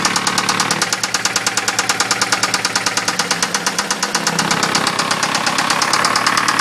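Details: 2003 Ford Focus Zetec engine at idle: sharp metallic rap about three times a second, steady and regular; engine knock, cause not yet found.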